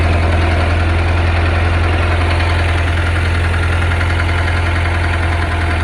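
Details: Loud steady idle with an even knock of roughly two to three per second; rod knock or pushrod slap suspected, cause not pinned down.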